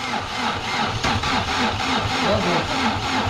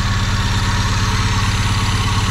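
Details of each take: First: Chevrolet Vectra parked ten years: rough, lumpy idle with uneven chuffs about three a second that stumble and skip; misfire, running on only two cylinders. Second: Chevrolet Vectra parked ten years: steady, even low thrum with regular firing pulses and no misses or stumbles; normal idle.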